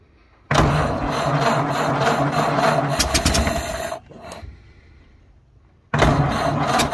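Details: 1931 Ford Model A flathead four, 200.5 cu in, after sitting 67 years. Carburetor and internal filter cleaned after flooding; slightly choked. Low, slow idle with a soft, even patter and no misses or knocks. Running smoothly.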